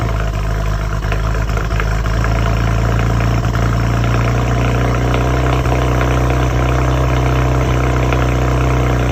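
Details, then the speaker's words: 2007 BMW with N54 engine, cold startup: uneven, stumbling idle at about three pulses per second, misfire with no codes; owner suspected old index 2 injectors on bank 1, replaced with index 12 injectors. "It's a '07 BMW with the N54. I had a little misfire on startup. I'll probably throw a clip in."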